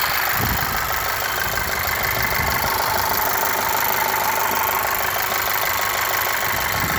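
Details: VW Scirocco 2.0 TSI EA888 with new timing chain and modified tensioner: light, fairly regular knock about two per second at warm idle only; source not pinned down.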